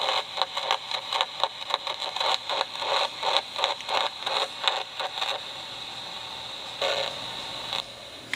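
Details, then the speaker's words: Homebuilt AM superhet receiver, antenna connected with clip leads: hiss with uneven crackling bursts and no station or voice coming through; not receiving, to be retried in the evening. "I don't think it's actually picking up the radio station though"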